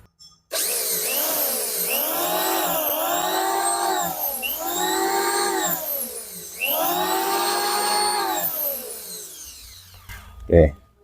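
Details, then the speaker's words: Richu electric planer after repair of loud front noise (worn bearing and loose bearing seat, belt removed, oiled): spins up three times to steady high whine and winds down cleanly with no knocking or rattle. Normal running after repair. "suaranya sudah halus sudah baik"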